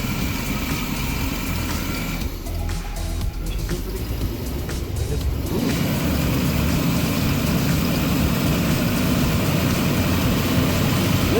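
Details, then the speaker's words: 35-year-old Chevy RV engine with carburetor and AIR system, just started after engine-bay vacuum hose cleanup: low, lumpy, uneven idle that never settles; rough idle, owner suspects a vacuum line leak, later about 800-820 rpm after timing adjustment. "okay she started vacuum's a little have to check the vacuum a little bit maybe one of the vacuum lines there's a billion of them that are in"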